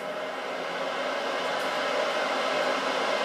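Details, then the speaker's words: Grizzly G0752 lathe just after pressing start on its test run: the loud cooling fans give a steady airy rush with an even hum and no knocks or rubbing, so they are running normally. "loud fans running So we'll see how this thing works."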